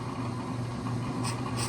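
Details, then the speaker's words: Warped StopTech brake rotor on an Accu-Turn brake lathe, bit just touching the rotor, fixing a pulsing brake pedal: steady lathe hum with intermittent hissing scrape as the bit catches only the high spots; warped rotor. "right there you hear how it's going that's that's evidence that it's warped"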